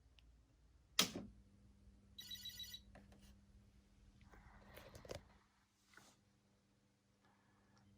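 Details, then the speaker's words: Rescued barn-find Commodore PET 8032-SK at power-on after keyboard carbon contacts were restored: a short bright beep over quiet room noise, the normal startup chirp, healthy. "I've just started up now and you can hear that famous tone."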